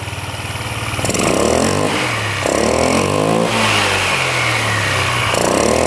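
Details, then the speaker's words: Free scooter restarted after refitting a loose clamp and bolt and retorquing it, with no spline damage. It idles cleanly and revs rise and fall smoothly with no rattle or grinding. Earlier noise cured: normal running. "Let's see if we can fire it back up now. See if it still makes that noise. There we go. Alright, well that was the problem."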